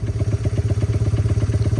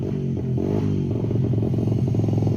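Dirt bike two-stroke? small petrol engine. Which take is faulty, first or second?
second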